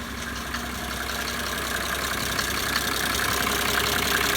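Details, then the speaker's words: 1980s Mercedes-Benz diesel after injector rebuild and pop-off pressure setting: steady, even diesel clatter at idle with no misses or stumbles, no smoke; repair successful, engine healthy. "one smooth hurt and more importantly there's no smoke"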